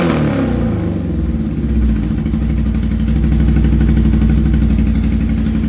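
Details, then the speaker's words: 1978 Suzuki GS1000 with a 4-into-1 exhaust, started with some choke after a clutch test. It catches and settles into a steady, even beat and revs cleanly with no knocks: healthy running. "I think we got a runner. All right, so as you saw, we got it running. She sounds good."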